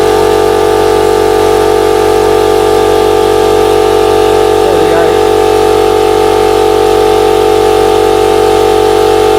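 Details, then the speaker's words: Air compressor running normally under load: loud, steady pumping drone with an even beat of about two and a half per second; it pumped up quickly, worked perfectly and runs only warm. "that's one done quick as that very good and it didn't take long to pump up either so so far so good"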